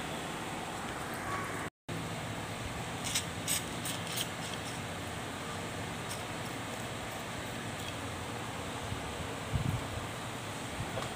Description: Blower Aircond Getah Dah Haus || Blower Pusing Jadi Bergegar/Bising